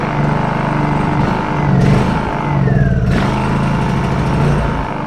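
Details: Honda EU2000i generator, stored several years, after repair: choked start on the pull cord as the carb bowl fills with fuel, then it settles into a steady, even hum with no misses, running properly.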